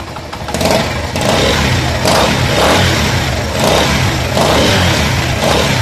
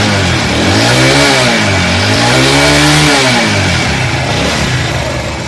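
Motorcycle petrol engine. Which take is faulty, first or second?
first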